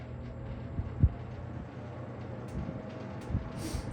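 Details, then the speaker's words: Vintage McGraw-Edison box fan, model 204002, on low (one of two speeds): a steady low throb with occasional loose clattering knocks from the handle and grill rattling; owner thinks it might need balancing. "If I had my eyes closed and you said what box fan is this, just by the rattles I can tell it's an Edison. You got your handle rattle. got your grill rattling."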